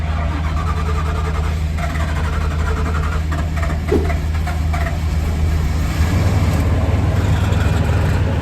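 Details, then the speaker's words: Van sitting over a year with dead battery, 30° weather, jump-started with GOOLOO GP4000 using boost button: low cranking rumble turns into steady even idle hum as engine catches and keeps running. "Okay, so we're back in business. I had to hit the boost button, but here it goes."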